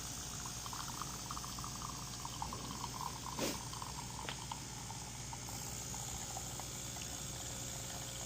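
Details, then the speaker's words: DeLonghi espresso machine (European 220 V unit on a transformer to 120 V), customer complained of loud pump and low coffee level; after bleeding air and replacing the flow meter, the pump hums steadily as liquid pours, no rattle or strain. No problem found, level is factory preset. "But in this particular machine, I don't think there is a problem. And this is just the preset from the manufacturer settings."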